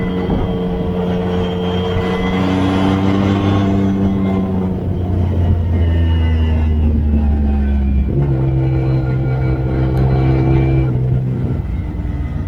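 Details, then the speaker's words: Newly rebuilt engine, once smoky from excess build oil, revved toward the limiter through successive gears up to third or fourth on an uphill: smooth climbing pitch, clean shifts, no misfire or knock; normal. "i'm gonna bounce it off the rev limiter all the way up to third or fourth gear going up this hill and just see what it does and it seems absolutely"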